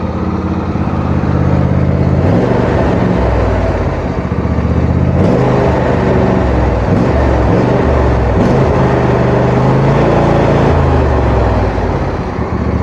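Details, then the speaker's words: Wheel Horse tractor single-cylinder engine with blades engaged, after earlier strange running noise, running normally again with blades at full speed, no known fix; steady drone with even low beat swelling slightly and settling, pulling smoothly. "it sounds completely normal it's running normal again the blades are spinning at full speed"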